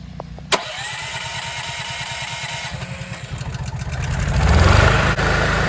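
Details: Kodiak 5500 W generator (Honda-type) with a dual-fuel propane/gas carburetor fitted last summer, started cold with choke during an ice-storm power outage: a sharp pull, then catches into a steady even putter that settles smoothly; normal cold start and idle.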